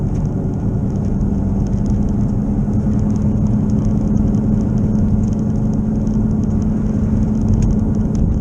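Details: Car driven at road speed. Steady low drone and rumble under tyre noise, from a bad wheel bearing, not yet fixed. It was long mistaken for an engine knocking noise.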